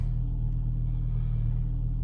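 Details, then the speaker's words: 2005 VW Golf Mk5 1.6 FSI after replacing spark plugs and a coil pack for P0302 cylinder 2 misfire: steady low even idle, no stumbles, rough idle and misfire gone. "oh so let's go and start the car up and see if our issue has been resolved inshallah let's see oh yes that is smooth again"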